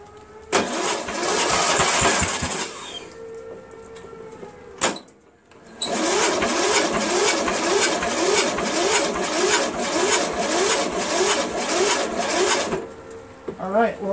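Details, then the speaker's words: Cub Cadet MTD lawn tractor with new battery, strong spark confirmed, carb cleaner sprayed in: two long bouts of steady cranking with the odd brief catch, never running. Owner suspects the gas or a carburetor problem. "we got a little bit you guys thought it turned over a little bit right so I think that has something to do with the ask gas or something else in the carburetor or something like that"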